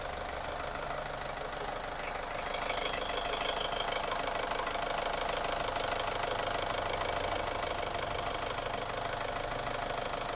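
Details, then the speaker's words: Nissan X-Trail T30 after repair of a long-crank no-start: it now starts easily but idles with an uneven, lumpy pulse and faint knocking patter, still sometimes running rough. "dan e sudah mudah hidupnya ya tem-tuk suaranya seperti itu Nah terkadang terkadang kasar"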